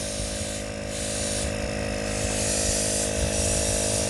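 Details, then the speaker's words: Turbo boost-leak test with engine off, intake blocked and shop air pumped into manifold: steady airy hiss rising and falling over low drone; pressurized air leaking at intercooler boot behind the band, stops with thumb over it. "all right well we definitely have a boost leak up here in this boot thing"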